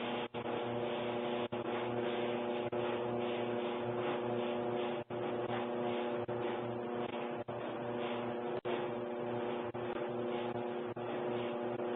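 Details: Kenmore Elite dryer (made by Electrolux) running: steady motor hum with dull thump about once a second as drum turns, getting louder; cause not yet found.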